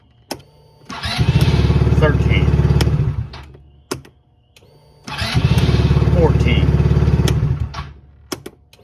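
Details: Honda CRF300L fuel-injected dual-sport with a dead battery, started from a portable jump starter: two rapid cranking bursts of about three and a half beats a second, each catching and running briefly; normal cranking and start.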